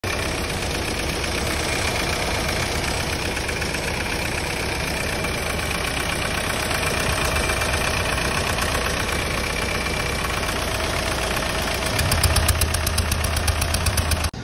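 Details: Hyundai Starex D4CB diesel suspected of blow-by; steady idle with a rapid, even clatter about four per second and no misses, ordinary diesel knock; fault not evident, cause suspected, not confirmed.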